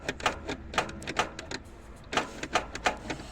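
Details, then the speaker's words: International 484 tractor starter motor: uneven sharp clicks in small clusters with no cranking or firing; starter clicks but won't turn the engine, suspected dirty. "hang on so we've got this clicking sound on it"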